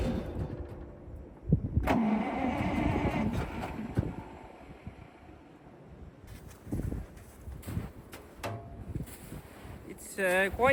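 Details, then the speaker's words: Ural military truck cold start at -8°C after standing: cranking with uneven catches and brief firing that never settles into a run; not getting enough fuel. "Well, we know now that it's not it's not getting enough fuel. Let's try pumping it a bit and see if it helps."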